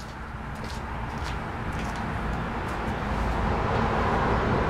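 Twin idles with a lumpy, uneven low thump near four beats a second, one side dropping out; misfiring cylinder, cause unknown.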